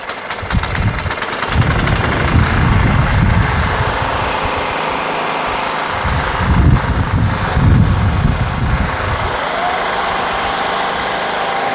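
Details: Scotts/Murray 1542 lawn tractor with Kohler Command 15 engine after carburetor cleaning, first start and transmission test; single-cylinder thump swells and eases under driving load with no miss or knock, running well.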